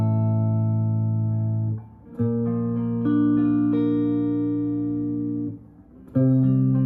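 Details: Brand-new Yamaha electric guitar after a setup and fret work, with action set lower than standard recommendations; scales and chords ring clean and sustained at positions along the neck, with no rattle or buzz against the frets; the setup is good.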